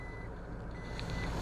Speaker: Quando engata ré, existe um apito sonoro avisando.